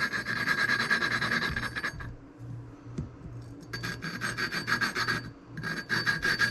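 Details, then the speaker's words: Honda XR50 cylinder head rebuild, lapping the small exhaust valve with a suction tool: steady back-and-forth gritty rasping, about three strokes a second, the pitch changing and smoothing as the valve seat cleans up. "All right, that's working. You can hear the change in pitch when it gets cleaned up."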